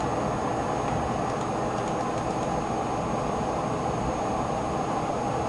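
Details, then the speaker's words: HP Pavilion Media Center PC tower after slowing its fans: soft, even airflow hiss with faint high whine, no rattle or surging; normal quiet fan operation. "wow really quiet now let's bump it up to 100% and let's drop it back down to 85 cuz that's as low as I'm going to go get it to"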